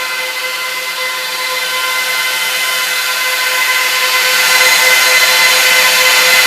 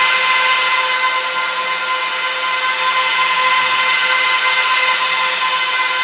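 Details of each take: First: Trash-picked Dell PowerEdge 1750 server after boot, doors closed, RAID setup underway: loud steady high-pitched roar from fans still pinned at full speed. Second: Trash-picked Dell PowerEdge 1750 server powering up to boot from CD: steady high airy whine of 14 fans at full speed with faint hum of three hard drives spinning up underneath; normal power-on.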